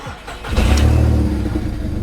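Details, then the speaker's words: VW Polo Mk4 1.2 started up, with exhaust dumping from underneath: the engine catches and settles into a loud, deep, raspy puffing rumble far too coarse for a sealed system; huge exhaust leak. "there is a few like I said mechanical issues as well main one being a huge exhaust leak so if I prop you guys there while I start the car"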